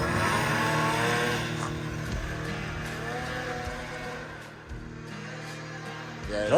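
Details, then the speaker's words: ZL550 two-stroke snowmobile after a no-start fix. It revs hard and clean through the range, pulling up quickly with no misfire, running better than ever before. Normal revving. "does pull them right up holy cow it's never run like that I'll do it I don't think it's ever ran like that"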